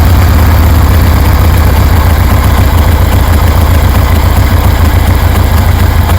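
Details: 1973 Harley Sportster V-twin after installing and testing CV40 carbs; deep, loud, lumpy beat holds a steady idle without stumbling or miss, sounds good and healthy; low on gas.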